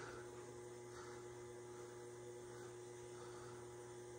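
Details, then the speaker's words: Amana washer showing LF code: hot/cold water inlet valve at top rear hums steadily while water barely trickles in; failing inlet valve (WPW10212596) needs replacing. "making humming noise and it's located up top here this is our hot water while this one is the cold one"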